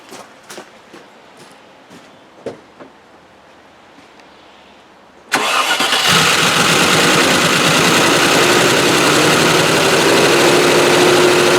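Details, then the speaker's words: Range Rover that would not start the previous day now fires: quiet ticking, then holds idle with a loud, regular clattering racket over the running note; source unclear. "Success. Makes a bit of a racket though. How odd! Yesterday wouldn't start, today it starts."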